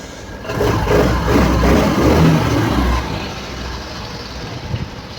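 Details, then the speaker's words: TVS Scooty Pep scooter after engine rebuild with new bore kit, piston and timing set, previously noisy after running out of oil; starts with a short rev then settles into a smooth, even idle, no knock or rattle, normal idle. "इस तरीके से engine आगे set करेंगे बोले तो इस तरीके से इंजन स्मूथ चलती।"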